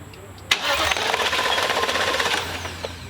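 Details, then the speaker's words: 2017 Thor Vegas RV engine during rebuild, after anti-theft wiring work and finding a missing ground: even starter churn of about four beats a second with bright mechanical clatter; turns over but never catches. "And just like that, guys, we found a ground and now our engine's spinning over."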